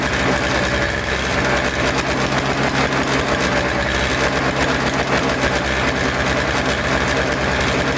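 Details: Toro Snow Commander two-stroke snow thrower, with the fuel line reconnected, fresh fuel, choked and primed: buzzes at a fast, even idle with a steady level and no misses, running cleanly.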